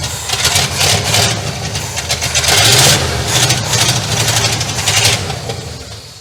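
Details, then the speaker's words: Abandoned 1967 Cadillac DeVille on its first start in 40 years: it catches and revs unevenly, surging and sagging, and won't hold idle before dying. Vacuum leaks from reused old lines are heard, and the engine is probably getting hot. "Doesn't want to idle at all. What the hell was that?"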